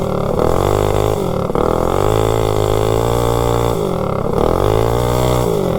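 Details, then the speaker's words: Predator 224 GTS minibike with a generic 16-tooth centrifugal clutch, climbing a hill: the engine drones at high revs, pitch sagging and recovering without pulling. The clutch slips, throwing sparks, and slips worse and worse. "yeah now you can hear it slip when you get on it you can see it throwing Sparks out of the clutch"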